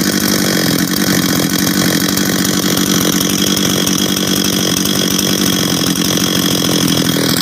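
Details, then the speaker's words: Husqvarna 385 chainsaw on its first start after reassembly: a loud, crisp two-stroke buzz held steady at high revs with clean firing and no misses; it idles well and is running healthy. "hold on work he right work sounds good idles good good"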